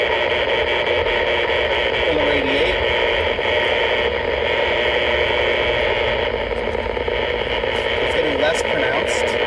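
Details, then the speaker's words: Harsh steady buzzing hiss swamping AM/HF radio reception heard from a vehicle while driving to locate it, suspected power line noise not yet confirmed; radio interference noise. "I turn this back up. You can hear the irritating sound."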